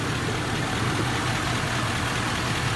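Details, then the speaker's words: Ford F-350 diesel at about 1,075,000 miles, with original engine, transmission and turbo and deleted at 450,000 miles, idles in a steady low rumble with no knocks or misses; it runs smooth. "The truck is going to stay running smooth the way it is right now. You hear it?"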